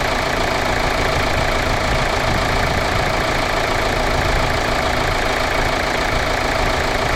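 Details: Kia Sorento 2.2 CRDI diesel, just after alternator, power steering pump and belt were refitted: settles into a steady, even clatter at idle with no knocks, squeals or rattles over it; runs healthy.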